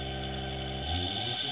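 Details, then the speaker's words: 220 V induction motor on open-loop drive at 36 V, frequency lowered without lowering voltage, huge current draw: high steady whine, then speed drops in coarse digital steps and the hum turns rough; excessive current at low frequency. "so I can slow down a frequency but now the current draw is huge because we really need to be lowering the voltage and this is a bit of a sort of digital step between"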